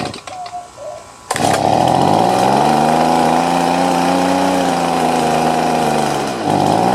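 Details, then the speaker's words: Stihl BG50 blower that had been hard to start and losing power, after a quick high-speed carburetor adjustment: engine catches and holds a clean, steady high-pitched buzz at high rpm without surging or sagging. "I just gave a quick adjustment on the high side, and now it's at higher RPMs. It's running good and steady."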